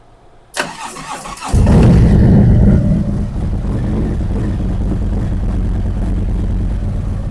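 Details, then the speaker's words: 2023 Harley-Davidson Street Glide ST Stage 2 (CR483 cam, Bassani header, ThunderMax) restarted in monitor mode for second idle tune: short crank, V-twin catches cleanly and settles into steady lumpy idle, warming toward 180°; normal start and idle. "All right, we want to put it into monitor mode. And now we're going to start it back up."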